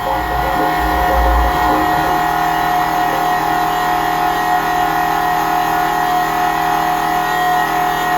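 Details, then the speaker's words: 1999 Nissan Frontier VG33E turbo, Fuelab electric fuel pump with pre-filter first start, commanded on: steady high electric whine with faint gurgling hiss as air is pushed out the return line; pump priming. "go ahead and command a channel on for the fuel lab you can hear turned on it's a bunch of air coming out of HR line"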